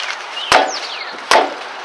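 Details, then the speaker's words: Left rear tire kicked: two hollow, woody knocks unlike the other three tires, pointing to a loose, worn wheel bearing; the next step is jacking the wheel and shaking it. "Now, you hear that sound? That sounds a little bit different. It almost sounds like someone's knocking on a piece of wood or a piece of metal."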